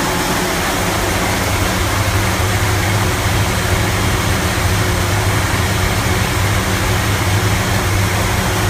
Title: 55 running very rough idle